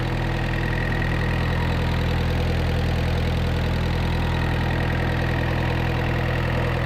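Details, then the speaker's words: 1986 Suzuki Samurai turbo diesel after replacing the leaking injector pump with a rebuilt one: steady, even diesel idle clatter about 3.5 beats a second, no misses or knocks, smoothest ever, almost no smoke, some blow-by at the filter. "ran even the smoke it's like non-existent i do have blow-by i can see it coming out of the filter but that's fine it's running it's drivable"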